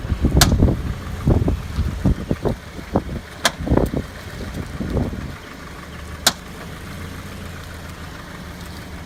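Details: 2013 Scion FR-S left front corner: sharp irregular pops as the car creeps with wheel turned, then quiet idle; traced to dry brake caliper slide pins.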